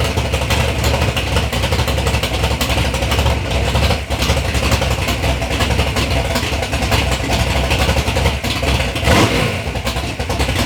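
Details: Third-gen Camaro with big-block Chevy V8, first start-up after years of building: deep, strong rumble blipping up and settling back cleanly, no knocks or misfires; normal, healthy running.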